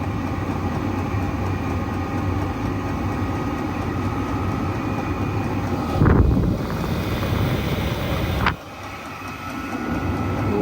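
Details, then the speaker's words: Chinese diesel night heater crudely set up for a workshop on a battery, just after ignition with the exhaust only slightly warm: a steady low roar with a brief surge that settles back to an even rumble; the burner is lit and running normally. "oh that sounds like a burner noise well it's burning out slightly warmer I wouldn't say hot"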